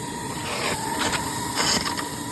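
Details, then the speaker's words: 1973 club 10-wheeler steam locomotive near full pressure (safety valves set at about 110 psi), testing the injector: steady rushing hiss surging as the water valve is trimmed, then settling as the injector picks up and feeds normally. "it on, back off your water until it picks up. It shouldn't be dripping. Small drips are okay."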